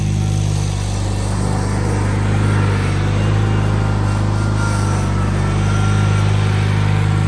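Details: John Deere 316 tractor after throttle cable repair: steady low engine drone at even speed, no knocks, misses or surging; normal running.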